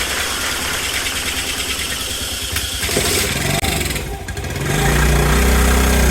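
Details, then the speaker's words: 1984 Honda ATC70 burnt in a bonfire, first start after checking oil: little single chugs unevenly at about 220 beats a minute, speed surging and sagging; rough running blamed on a bad carburetor, rebuild planned. "that look at there still runs carburetor is a piece of crap"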